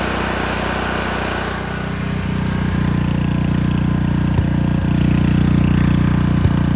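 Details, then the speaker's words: Small single-cylinder engine drive on Victoria during tune-up, about 50°F: low idle with occasional stumble or tick breaking rhythm, not settling; owner suspects governor (linkage arm) or carburettor. "Well, I guess we'll call that good. I don't really use low idle anyway. And yeah, it'll be all right. I mean, I'm sure it's either the governor or the carb."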